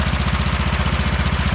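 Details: Wheel Horse garden tractor single-cylinder with new electric fuel pump, started cold in snowy weather: crisp, even putter at about fourteen beats a second, steady with no misses or knocks; normal, healthy running.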